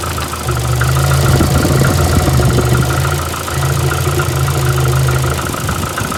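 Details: VAZ 2115 8-valve at idle: uneven running with a loose knock about four per second under a low rumble and faint rubbing note. Followed cylinder-1 head gasket failure and antifreeze/5W40 oil change; check-engine light on. Source unknown.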